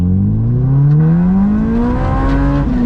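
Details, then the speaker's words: Acura RSX Type S, K20A2, six-speed manual, before Comptech supercharger install: engine note climbs smoothly then drops sharply at a gear change, clean pull with no misses or flat spots; normal acceleration. "so as you can see this thing definitely pulls really well it's going to pull a lot better the comptex supercharger kit"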